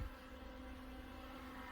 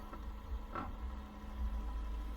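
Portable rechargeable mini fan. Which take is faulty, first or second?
second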